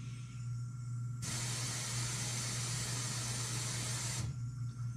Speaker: noise is the air compressor it has an audit bleed on it